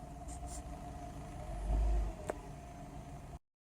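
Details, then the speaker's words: 2005 Mazda Tribute, LA4A-EL (Ford CD4E) automatic: after sitting, drive engages, but in reverse the engine flares with no drive taking up, then a clunk; slipping blamed on a blocked internal filter. "as soon as I change into reverse it'll just start slipping again but it will drive just until that filter it's blocked again"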